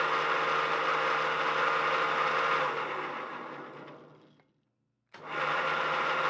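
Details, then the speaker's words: Old three-phase lathe on new rotary phase converter, first start in decades: whiny gritty grind under motor hum, fading on spin-down, returning on restart; suspected bad bearing on far side of electric motor, not confirmed. "right there is the electric motor and it sounds like there's a bad bearing on this far side of the electric motor that is what's causing the grinding I believe what do you think"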